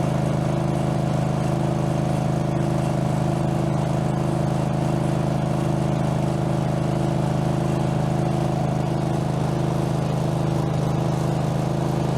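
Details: Craftsman garden tractor, Kohler engine (badged 22 hp, possibly 18 hp), after mower deck blade spindle replacement, no play in spindle: steady, even engine drone with blades spinning, no knocking, rattle or wobble.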